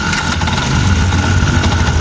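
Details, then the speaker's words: Yamaha Jupiter MX King that won't hold idle, engine running without throttle: rough uneven dragging clatter from the starter/dynamo rotation, worse when revved or ridden, from a broken starter one-way clutch. "ini staternya berisik kayak gini nih jadi putaran dinamonya berisik ini tanpa di gas"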